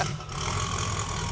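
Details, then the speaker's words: 1971 Datsun 240Z "Rotsun" turbo V8, overheated many times before, just started with fuel pressure 7, maybe no boost: steady, even low rumble at idle with no knocks, misses or ticks; runs healthy. "You know, for an engine that we overheated 97 times, it runs pretty good. It's not bad."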